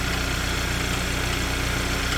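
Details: Hyundai Sonata engine ticking at idle: a light, fast tick tick tack tack riding over a steady idle, began suddenly and stayed almost continuous, car left unused for a long time; cause not confirmed, later cured by a free no-liquid fix.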